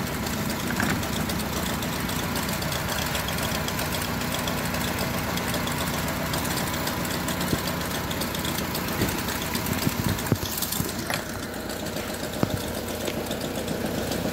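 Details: Honda with check engine light on: idle stumbles with an uneven beat and occasional stronger knocks, a steady misfire; spark plugs and ignition coils checked and one ignition coil found faulty.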